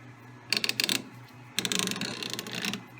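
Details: Lewis shaper cross-feed gear train turned by hand after boring out the egg-shaped clutch housing: two bursts of light, even ratcheting clicks, free and smooth with no binding; smooth gear mesh.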